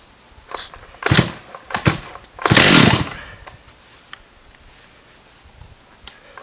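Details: Stihl 084 AV chainsaw, about 35 years old, trash find, first start after refuelling, backfiring, good compression: fires in short ragged bursts, coughing and dying instead of holding an even idle; carburetor tune-up planned; poor running.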